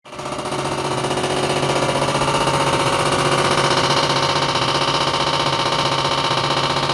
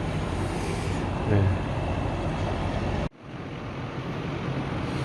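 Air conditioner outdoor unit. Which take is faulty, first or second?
first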